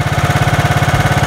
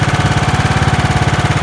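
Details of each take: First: 1990s John Deere RX73 barn-find riding mower, little run, restarted with choke on and throttle fully up: steady heavy slightly lumpy beat, about eleven pulses a second, sounding rich; choke or adjustment suspected, not confirmed. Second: 1990s John Deere RX73 barn-find riding mower running: steady even exhaust pulses about 3.5 per second, no misses or knocks, smooth running.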